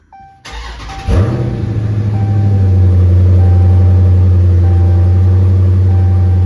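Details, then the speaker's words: Dodge Challenger Scat Pack 392 V8 after oil and air filter change: brief crank, catches at once, flares up then settles into a deep, even idle; clean healthy start, run briefly before checking oil level. "So let's start it, let it run just for a second, and then we will check the oil level on it. So let's fire it up."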